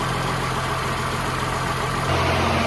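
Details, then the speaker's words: Humvee with a swapped-in Cummins diesel idling in the garage, smoking: an even low drone that settles slightly in pitch near the end, with no knocks or misses, a healthy idle. "sounds good sounds like a runner suck up all the juice on the stick so it's just gonna have to get more oh that diesel smokers"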